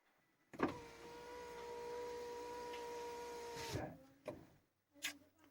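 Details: Fiat 500 power window after tightening a loosened screw that caused knocking when closing: window runs smoothly about three seconds with steady motor hum and clean stop; noise fixed, normal operation.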